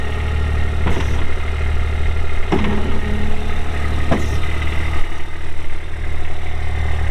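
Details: 2023 Kubota RTV-X1100C diesel utility vehicle, 1,499 hours, 3,330 miles; smooth, deep diesel idle with a steady low drone and a few stray clicks; runs evenly and sounds healthy.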